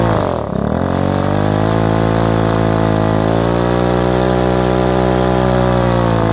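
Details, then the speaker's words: Repaired Ryobi two-stroke strimmer started on choke after priming the bulb, given a quarter turn; quick rev dip then raspy drone drifting up and down instead of holding steady; unstable, blubbery idle, owner thinks fine tuning will fix it. "all of a sudden she's just a large not idle magic a little bit blubbery I'm sure this with a fine tuning"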